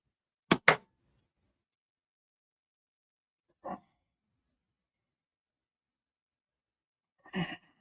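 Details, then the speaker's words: Tigre .46 glow model engine turned by flipping the prop by hand. Three short snaps, each rebounding against compression, then quiet; plenty of compression. "that's a good motor there that's got plenty compression"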